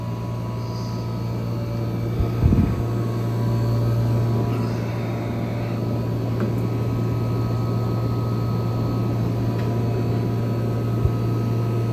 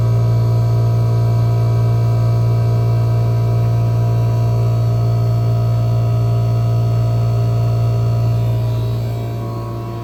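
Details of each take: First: 1974 Friedrich Quietmaster 14,000 BTU air conditioner (AJ8514E) running on medium fan in a room of about 80°F; it sounds rough on startup. Once running it gives an even low hum from compressor and fan with no knocks: normal running. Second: 1974 Friedrich Quietmaster air conditioner on low fan with about 47°F supply air; owner may fit a longer cap tube. A deep, steady hum holds constant and drowns out the fan: loud compressor hum, cause undetermined.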